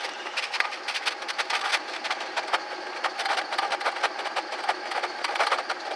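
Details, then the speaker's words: Ford Taurus that overheated, bubbles in coolant tank, owner suspects blown head gasket; at tailpipe while idling: rapid, fairly even soft puff-puff sounds over quiet idle, no moisture from tailpipe; exhaust puffing suggests compression leak. "And we'll go out back here, and I'll let you listen to the tailpipe, the puff, puff sound."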